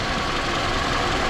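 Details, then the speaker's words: Toyota Camry 2.4 at idle after coil ruled out and VVT-i phasers suspected: extra noise gone, but a light tuk-tuk ticking knock remains in a busy, rattly top end; balance shafts or something serious suspected; water pump was leaking, needed replacing. "Но это уже, думаю, либо балансиры, эти баланс-валы. Вот. Либо что-то там уже серьезное."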